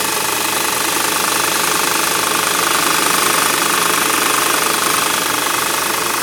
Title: Engine knocking